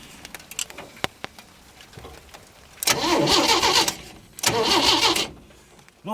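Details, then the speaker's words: 1937 Chevy 250 six-cylinder, unrun for years, gas in the carb: a few clicks, then two bursts of even starter cranking that never fire. No spark with two different coils tried, so the ignition points are blamed. "I'm trying two different coils I'm not getting any Sparks so it's got to be the points super simple system"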